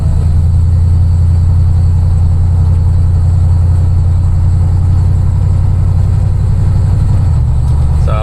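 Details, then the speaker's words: Dodge Dakota with a 426 Whipple-supercharged Hemi on a short gentle drive to break in a new rear gear set: a smooth, steady low drone of tyres, driveline and exhaust with no rising gear whine. The diff sounds healthy. "but gear noise is gone we just have to drive like a granny for a while to let this gear set break in actually sounds good so yeah Drive is just like stock you guys"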